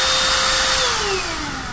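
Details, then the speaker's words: Trash-picked Russell Hobbs cordless vacuum after repair (loose contact fixed with a bit of solder); steady high motor whine winding down smoothly at switch-off, no crackle or cutting out, working normally. "ah we've solved the problem T yeah yeah perfectly good working"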